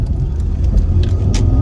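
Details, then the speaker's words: MK5 Ford Escort accelerating after MAF sensor replacement and new exhaust; deep even roar, pulling smoothly straight through instead of in stages as before, healthy running. "Never made those sounds before. And it always felt like it would accelerate in stages and now it's like just straight the way through. So, yeah, it's a massive improvement, but I just wanted you to see me driving it and it is not broken."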